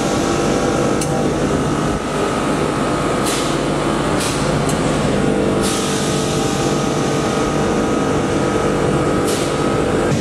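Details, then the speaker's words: Digital scroll compressor in an air-conditioning/heat-pump system at part load: steady hum with solenoid valve clicking every few seconds and tone shifts as it alternates pumping and bypassing (about 5.6 to 3.8 A per phase); normal operation. "I asked if he could hear the solenoid valve clicking every few seconds and about the compressor tone changing and then explain how these are normal operation of symptoms for a digital small compressor and part load"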